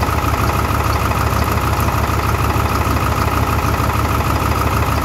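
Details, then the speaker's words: 2002 Ford 7.3 Powerstroke diesel at idle with contribution balance codes for cylinders 2, 4 and 8 and an injector code for 8; a lumpy, uneven chug as it runs on four cylinders, one faulty injector (No. 8) shutting down that bank. "right if you listen to how it's running it's it's running on four Cy"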